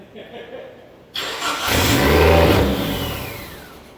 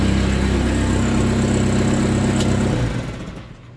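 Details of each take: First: SRT-4 engine in a drift truck, first test start: catches, flares in a ragged rev, then sags and stumbles with smoke; rough running because idle air control, TPS, intake air temp and O2 sensors are unplugged; it later died from a blown PCM fuse. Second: SRT-4 engine in a Mazda B2200 drift truck, running with sensors still unplugged. Low, even idle hum with no skips or shake, then the engine winds down and stops. A smooth, clean idle that doesn't vibrate the truck.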